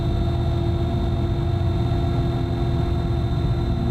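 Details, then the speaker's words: AAON HVAC unit that is not working: heavy, steady low rumble with droning hum and rough churning from the blower motor, far noisier than it should be. "so this one why is it making that much damn noise oh my god fall apart watch the blower motor in there"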